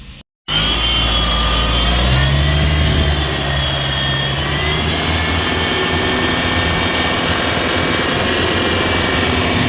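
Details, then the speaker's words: Mitsubishi Montero Gen3 diesel running: loud droning hum and wavering whine that grew from a light ticking; belt and tensioner bearing already replaced without curing it, turbo earlier suspected, alternator bearings and pulley next to check. "Okay mga paps. Ah, narinig niyo po ba 'yung ingay kanina na binideo ko Ah ito susubukan natin tanggalin 'yung alternator. Che-check natin 'yung mga bearing niya tsaka pulley sa alternator mga paps."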